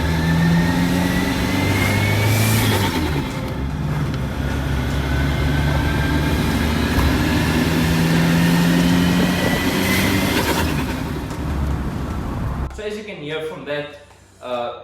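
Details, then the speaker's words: VW Polo TDI manual gearbox, after refurb and new clutch (fourth-gear selection issue), driving: massive whine rising with road speed like straight-cut gears over engine and tyre noise; one gearbox bearing reportedly shot. "had a massive whining sound to it almost sounding like a can i say like a radical with straight cut gears it's whining on the gearbox i took it back out to get back to them and apparently one of the bearings was shot"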